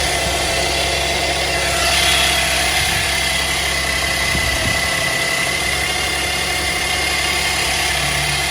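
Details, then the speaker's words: 2010 Chevy Traverse at cold start the morning after cleaning the power steering reservoir: a faint thin whine over the engine hum that is quieter than before and fades quickly; the power steering pump still whines slightly while steering works fine. "Not as loud as it was. Got quiet pretty quick. Feel you can hear some of the whining."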